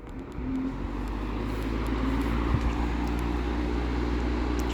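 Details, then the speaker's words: Vintage circa-1960 Hunter Zephair B2500A 18-inch two-speed electrically reversible window fan, freshly oiled, running on low in exhaust mode: soft, even hum and steady airy rush moving lots of air, no ticking or scraping; normal running. "yeah even on low that is insane amount of air okay"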